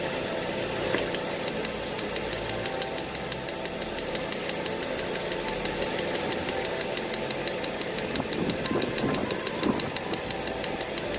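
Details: 2008 Mercedes CLS500 V8 with P0300 misfire codes, cylinder 1 misfire, testing a replacement ignition coil while running: crisp steady snapping spark ticks about three a second; constant spark, coil works, old one was bad.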